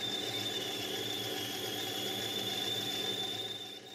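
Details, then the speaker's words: Lathe turning brass bar while making a Stuart 504 boiler plant part: steady high-pitched squeal over the cut, a sign of a very blunt cutting tool. "but it's also useful for hearing when the two is blunt if you listen to this you will hear the squeaking which is a sure sign that you using a blunt cut into a volition"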